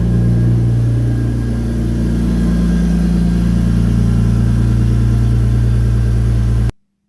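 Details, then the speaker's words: BMW E46 330 drift car, M54B30 inline-six, after MAF reroute, before tune: deep steady hum held evenly for several seconds, no skipped beats; earlier misfire solved, normal running. "Well, I do believe that the misfire has been solved. Now we can tune the car."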